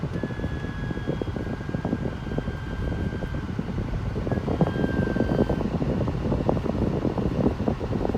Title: 2011 c70 Volvo AC screeching noise